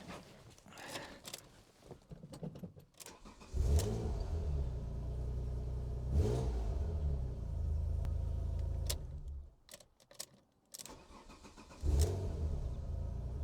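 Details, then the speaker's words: Alfa Romeo GTV 3.0 V6 Busso cold start with induction kit still fitted; short crank, catches and settles into even low idle, earlier squeak gone (owner wonders if intake-related); shuts off and restarts cleanly; normal cold start. "That's interesting. A little squeak I had, and whenever I started it seems to have gone away, so I wonder what that was."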